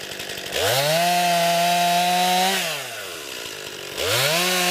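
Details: New 50cc chainsaw, about ten pounds, cutting wood from a skidded pile on a cold sunny day: crisp high-pitched scream revs up cleanly, sags slightly as it bites and picks back up. Owner finds lots of power for 50cc; healthy saw cutting.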